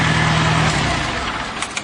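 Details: Farmall Cub tractor after static timing the magneto, started at about half throttle with no choke: catches and settles into a steady, even idle with no misses or popping; starts clean and runs properly.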